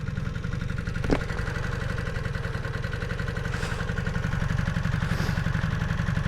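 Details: 1986 Honda CB250N Super Dream twin, rebuilt after sitting 38 years, in neutral with no leaks: a steady, even, smooth low putter with no knocks or misses, a normal healthy idle.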